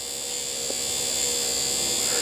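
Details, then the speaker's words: Window regulator motor on a Porsche 3.2 Carrera, tested after being rebuilt and reassembled: steady high, even-pitched whine that pulls smoothly. It works, though the owner wonders whether it is fast enough and thinks it may still be slightly slow. Normal window motor operation. "it does work i wonder if it's fast enough sounds like it's getting better"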